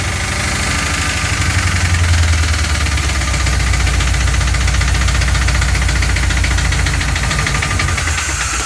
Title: Rod knock? fuel injector stuck open?